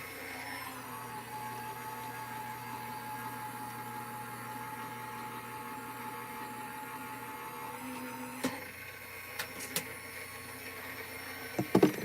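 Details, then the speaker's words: Gemini Junior die-cutting machine feeding a hot-foil plate through after 35 seconds at medium heat, no shims: even motor drone with faint steady hum, then a few light clicks at the end; running normally. "we're gonna unplug we're gonna go to the gemini junior and feed it through"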